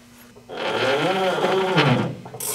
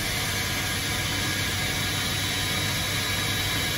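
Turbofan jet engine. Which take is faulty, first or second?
first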